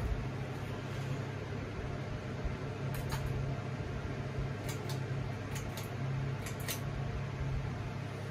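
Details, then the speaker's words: Hunter Summer Breeze ceiling fan on high, portable fans off: steady low whoosh of air with faint even hum, no ticks or knocks; lots of wind noise, running normally. "Here, I'll turn the portable fans off so you can hear it. Yeah, I'll turn off the lights too. It's on a wall outlet switch. This thing makes a lot of wind noise."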